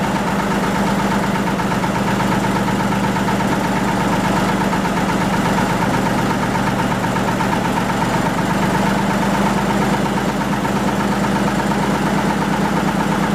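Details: 1940 Lister JP3 single-phase 230 V diesel genset test run after water pump rebuild (slight weep at top radiator hose clamp): steady low thump at even pace with constant hum on top, no knocks or misses; normal running.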